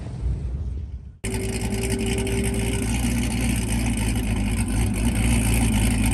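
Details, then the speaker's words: LS-swapped turbo SN95 Mustang drag car, new motor and heads, Holley EFI, Powerglide, track test pass; cuts in and roars with steady flat drone off the line, no sharp boost surge, lazy spool traced to dump valve wiring fault. "do not bad it seems a little lazy getting on the chip"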